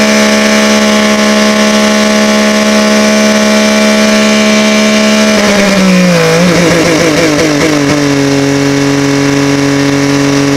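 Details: OMC Johnson 175 hp outboard on dyno at full load: steady high revs, then pitch sags and wavers before settling lower and even as power pack drops it into slow/limp mode; fuel starvation had been suspected.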